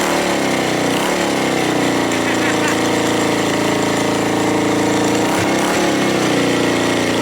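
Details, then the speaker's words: Suzuki GN250 after fixing an upper-engine ticking: loud, steady single-cylinder idle with an even beat and no tick; some rattling only from unattached parts around the bike; engine sounds like new. "it's not ticking it's rattling but that's because of all my things around the bike are not attached so it's only just things going around there but the engine sounds like new"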